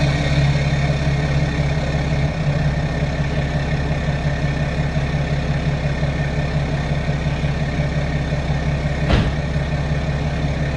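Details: BMW F10 535d diesel just started after a fuel filter replacement and fuel-system priming without a scan tool. Even, steady low diesel idle clatter that holds speed without stumbling or hunting: normal healthy idle.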